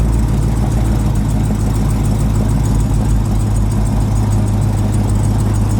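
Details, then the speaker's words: Ticking at cold idle on a lowered Hemi V8: a faint light tick about three to four times a second over a deep steady idle, which goes away once warm; owner is fairly sure it is an exhaust leak, not Hemi tick. "so right there you guys could tell it was pretty easy to see that you know you could hear the tick pretty clearly and then eventually doesn't take too long once it gets warm enough that it goes away so that right there is an exhaust leak nothing to worry about"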